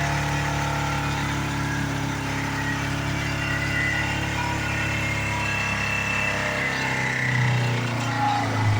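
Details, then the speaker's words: 2010 Chevy Colorado original engine, oil leaking, being run to destruction at full throttle: loud rough drone with uneven pulsing and ragged idle swelling near end; worn-out motor still running. "This thing just won't die."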